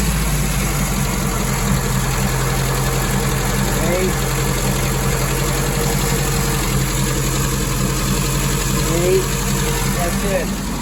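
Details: 1961 Triumph TR3A with twin SU carburetors at idle after ColorTune mixture setting and balancing carb suction (about 8 and 7): a steady, low, even pulse with no misses or surging, so the idle is normal and smooth.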